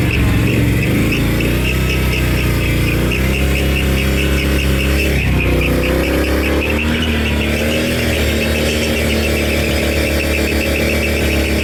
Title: 2022 can am 570xmr annoying squeak sound